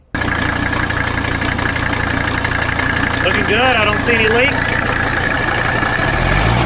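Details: 1985 Mercedes 300D diesel during fuel pressure testing: steady clattering idle that wavers slightly in rhythm, suggesting the shaky idle under investigation; cause not yet pinned down.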